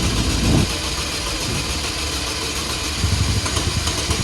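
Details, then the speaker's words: 2004 Chevrolet Malibu Classic idling lumpy and lopey, catching and sputtering. It is not running on cylinders 1 or 4, and it stalls when given gas. "This thing doesn't really idle. You can hear that kind of lopey cam. Well, it's not a cam. It's not running on 1 or 4 cylinders."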